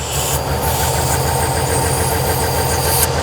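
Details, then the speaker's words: V12 auction car at idle: uneven, lumpy idle with a dull stumbling pulse under a rasping hiss; misfiring, possible vacuum leak from the top suspected, ran better but not great after checking. "it's not a happy v12 all right so there she is she's definitely misfiring but by god look how big the thing is"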